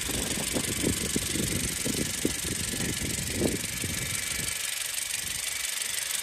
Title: my 2017 Honda CRV makes this noise, please is it normal?